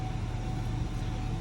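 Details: 2019–2022 Chevrolet/GMC 2500 Duramax diesel just after a fuel filter change and priming, first start. A steady, even low diesel rumble with no knocks, misses or surges; normal, healthy idle.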